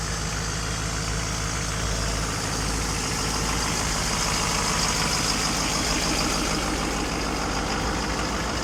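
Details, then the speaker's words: 2010 Duramax diesel truck that sat unused 5 years: steady, even clatter at raised idle, no misses or knocks; runs good, normal high idle during warm-up cycle. "So how about that? It looks ugly, but she sure runs good. It's going into a little warm-up cycle, it sounds like."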